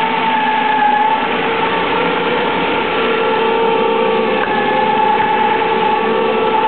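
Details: SHO engine running with all accessory belts removed: a high, constant whine rides over the steady engine note and persists without the belts, source still unknown.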